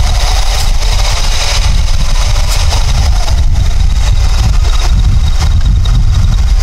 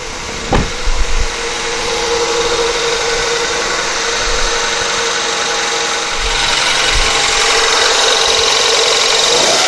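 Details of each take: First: 1999 Honda Accord F23A replacement engine with P0108 and P1129 codes: steady, dull, flat idle rumble; MAP reading unchanged, suspected timing issue or large vacuum leak. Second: 1999 Honda Accord, replacement F23A engine, cold start after sitting overnight: catches and settles into a steady, even idle with a faint hiss. This is after refitting the timing belt that was a tooth off and clearing the plugged MAP vacuum port; no check engine light.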